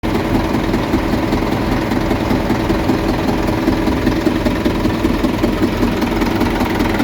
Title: 600 rpm in N, knocking sound more pronounced at the front of engine.